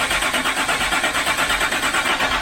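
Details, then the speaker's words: 2006 Land Rover Discovery 3 TDV6 2.7L diesel after full engine rebuild: steady cranking with no firing and no fault code; crank no start, suspected not getting enough fuel, not confirmed. "it's not getting enough fuel the engine doesn't have a fault that's quite concerning no it's not starting"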